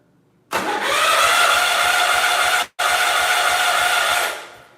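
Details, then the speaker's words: 1971 140H3 tractor after working on the starter and retightening it: steady fast cranking about three and a half turns a second, even and free, no longer hanging up like before; normal cranking. "Cool. Definitely cranks a lot better. It doesn't hang up like it did."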